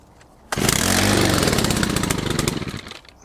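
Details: Stihl FS100 brushcutter, 4-Mix four-stroke, after a full service on fresh fuel with Stihl HP Super oil at 50:1: fires at once, revs up crisp and even with no misfires or hesitation, then drops back cleanly. Runs properly.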